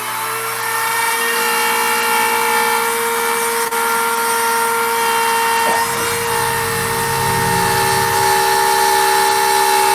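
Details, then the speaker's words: Router carving a sign with a profile bit: high motor whine with rough buzzing rattle; chatter from the bit microscopically shaking because it sits too far out of the collet. "And that's what that sound is. That sound is chatter. It's the router bit microscopically kind of shaking and spinning a little bit."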